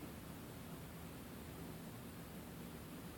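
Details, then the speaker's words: Microphor toilet on a 1990 Blue Bird Wanderlodge bus, plastic part just replaced, steady quiet hiss of water that keeps filling past its normal stop after flushing; fill valve not shutting off. "it used to stop right around there, but it will keep filling up."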